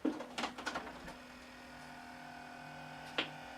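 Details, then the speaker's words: Tomy OmniBot robot being refurbished, batteries possibly making poor contact and no tape inserted: a few clicks, then faint steady hum as the cassette motor seems to try turning but drives nothing, a stretched drive belt. "it's making some noise. Like that motor's trying to turn in there is what it sounds like, maybe."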